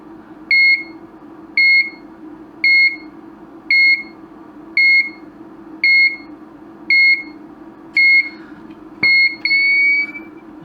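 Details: Broken LED dot-matrix scrolling sign on bench supply after fitting a new component: paired high beeps about once a second over faint hum at power-up; gets further but still fails.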